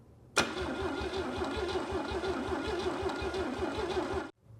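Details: Rare GMC 302 inline-six freshly rebuilt, warm after valve adjustment: catches straight away and settles into an even, steady idle with no knocks or misses; sounds healthy.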